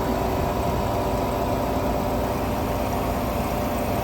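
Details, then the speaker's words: 1959 Welbilt Wall-Slim 2-horsepower heat pump, sat 15 years, compressor switched to low cool: a steady, even hum with no knocks or rattles while the coil already starts getting cold; compressor running normally. "I already hear the refrigerator. It's already starting to get cold."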